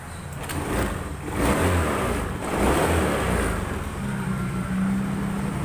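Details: Honda Scoopy FI with MIL code 7 (EOT engine oil temperature sensor) after soldering the EOT sensor socket, started by kick: engine catches and revs cleanly through throttle blips with no misses; normal start and rev.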